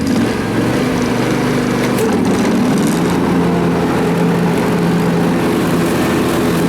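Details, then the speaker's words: John Deere X300 riding mower with some hours on it, after repair, test run at high rpm with mower deck engaged: steady high-rpm drone dipping slightly in pitch as the deck takes load, then an even pull; engine healthy. "you can see how it really likes this rpm"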